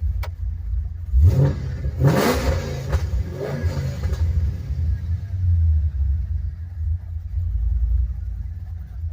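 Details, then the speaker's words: 2008 Ford Mustang Bullitt from a salvage auction, idling with a choppy, uneven lopey rumble and a couple of rev blips. It sounds like a high-performance cam, but the owner is unsure; not confirmed. "Sounds sounds like it's got a lopey cam. Almost like it has a high performance cam shaft in there."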